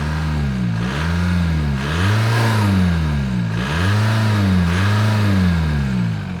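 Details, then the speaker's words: Junkyard MK4 VW Jetta TDI diesel with the exhaust revving: deep, even diesel drone rising and falling with repeated throttle blips, no knocks or rattles; sounds wicked, a normal exhaust note. "For a junkyard Jetta, this thing sounds wicked. My god."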